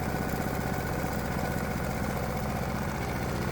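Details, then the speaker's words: Predator 212 single-cylinder engine on bench with aftermarket adjustable carburetor, main jet screw turned out to enrich: throttle blipped, chugging lumpy uneven beat with a dull muffled note; running too rich, fixed by turning screw in slightly. "Now, when I goose the throttle, you can hear the engine's running really rich just by the sound of it."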